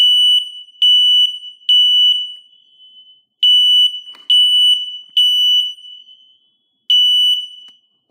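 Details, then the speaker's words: Home smoke alarm test: shrill high beeps in groups of three with short pauses, sounding properly and confirming interconnection wiring is correct. "could also verify that the interconnection and wires are correctly wired because we also hear the smoke alarm sounding"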